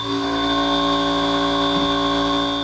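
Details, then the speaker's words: Trimill VS1614 5-axis CNC mill cutting a fixture with a Harvey 2TE cutter at 20% stepover, 150 inches a minute: steady, clean cutting tones with no chatter or squeal, rigid healthy roughing cut. "You hear that? That's what a rigid machine with a good cutting tool sounds like."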